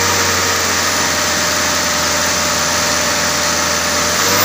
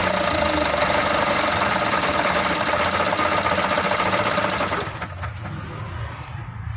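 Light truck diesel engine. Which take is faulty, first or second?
second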